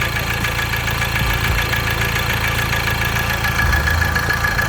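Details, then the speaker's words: Ford Transit Connect diesel idling after oil sump replacement: an uneven low rattle about twice a second; the crankshaft pulley/harmonic balancer rubber is suspected, possibly also the timing chain. Rattle at idle. "Rattle. I need to pulley. Crankshaft pulley, the harmonic balancer. There's like a rubber that surrounds the crankshaft pulley. That's why it's like shaking."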